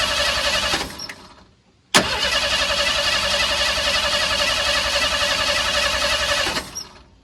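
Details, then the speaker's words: Old truck with fouled plugs, after carburetor rebuild with fuel and accelerator pump confirmed: short crank, pause, then about five seconds of steady cranking near 220 beats a minute without catching. Owner suspects no spark from the distributor points. "so I'm beginning to wonder if I have spark if we're not getting spark then I know we have a problem with the point system inside our distributor"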